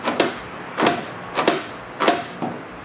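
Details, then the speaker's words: 1988 Toyota 4x4 pickup heater box: five hollow clacks, each with a short creak, about one every half second as the blend air door moves; its foam seals have disintegrated, and replacement foam is ordered. "heater box sounds like that, what that means is on these Toyotas that all the foam on your blend air doors is gone."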